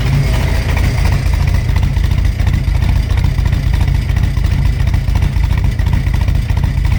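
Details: Supercharged hot rod V8 (10 psi, smaller supercharger pulley, wider belt) with new fuel system and freshly installed Holley Super Sniper EFI, first start after battery charge: deep, lumpy rumble dipping and surging unevenly, rough stumbling idle from untuned fuel injection.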